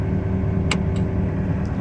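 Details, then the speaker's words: Takeuchi TB260 mini excavator, Yanmar 4TNV diesel, travelling under load with auto idle off: the engine sags and labours, can't hold steady RPM, almost loses power, and the power light flashes; bogging down, pointing to fuel starvation from a weak lift pump. "Not happy. cannot maintain the steady RPM."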